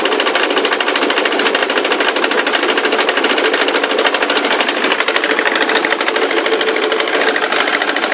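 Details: Ford Mondeo 3 turbo-diesel at idle: fast, fairly even tapping, about three a second, over a steady diesel idle; a very unclear engine knock, all the sound coming from the left side, like a chain somewhere; engine smokes heavily and spits soot when revved.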